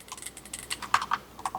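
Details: Asus Ally X handheld (first Ally X), non-Hall-effect triggers: quick, crisp, irregular clicks of buttons and triggers, each clean and even with no rattle; normal button clicks.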